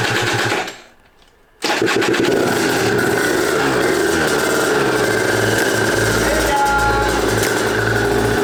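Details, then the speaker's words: Aprilia RS 125 two-stroke barn find, first run in about five years, on 1:40 premix, after fixing carburetor fuel leaks; brief silence, then it catches and settles into a steady even buzzing run, no longer leaking; normal running. "now it's not leaking and it's running so really nice"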